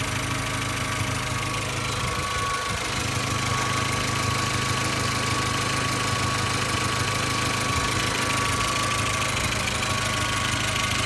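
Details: 2004 Volkswagen Golf, engine running at steady idle: a faint, fairly even tick rides over the engine note; small exhaust leak at the manifold suspected, not confirmed, owner plans to fix it.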